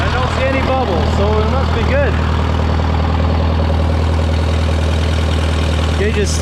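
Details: Case VAC tractor after an aftermarket water pump was fitted, warming up with the gauge at about 20–35°C and coolant flowing; it had earlier overheated after a coolant change. A steady, even deep hum with no knocks or misses: a normal idle.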